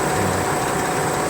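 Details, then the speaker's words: 1998 Ford Expedition 5.4 V8 after radiator replacement: busy, uneven clatter over a steady idle from the front of the engine. Owner suspects the water pump, possibly a pulley or tensioner, and rules out the alternator; unconfirmed. "uh making a rattling noise um i don't know what it is i don't know if it's the water pump or not y'all tell me what y'all think"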